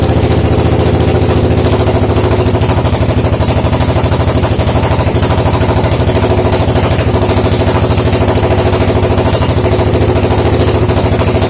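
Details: Suzuki DR750 first start after 10 years not running: steady even single-cylinder thump at idle, about three firing pulses a second, no knocks or misses; healthy idle.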